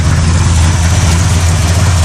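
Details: 1987 Camaro with Holley carb, first crank after sitting unused: deep, heavy idle with a lumpy low thump and no smooth settle, described as bumping hard; cause not yet pinned down. Rough idle.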